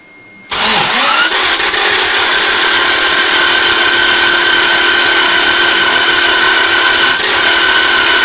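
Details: Toyota 4A-GZE that ran before the head was removed now cranks fast and too freely, with an even light rhythm and no catch or firing; timing believed correct, strong fuel smell; cranks but won't start.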